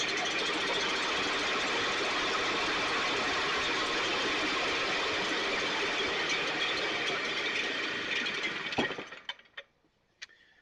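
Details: STIHL backpack blower (believed 6R450), new air filter and spark plug, recoil off. Buzzy high-pitched drone holds a few seconds then sags and dies; runs lean, needs occasional choke; a little water in tank not deemed the cause; carburetor suspected.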